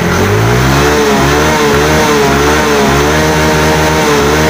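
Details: Yamaha Mio J (Fino) that died while riding with MIL code 46, after repair: engine revs and eases back smoothly, no misfire or knock, code 46 no longer flashing, charging 13.7 V; runs normally.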